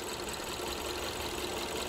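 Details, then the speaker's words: 2015 Kia Soul 1.6 L with check engine light on, shaking under the hood, losing power and dying at stops: rough, uneven running with a faint irregular knock while the spark line is checked; a cylinder is misfiring from a failed ignition coil. "you see the engine is shaking very badly it's misfiring but look at our spark line on that coil ove"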